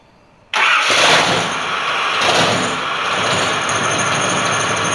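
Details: Ford 460 V8 in a dually truck after fitting a cheap eBay high-torque mini starter in place of the stock one that struggled hot: brief starter whir, V8 catches at once, flares, settles to smooth idle; normal start.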